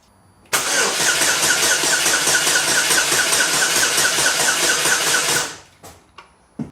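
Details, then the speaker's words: 2008 Chevy Cobalt 2.2L that was run out of oil, heard from underneath: about five seconds of starter cranking at a fairly even rhythm without firing, used to judge compression; cranks but does not start, cause unknown. "i'm gonna have it just crank just so you can hear it crank over instead of doing a compression test on each one you can just hear the rhythm of the engine"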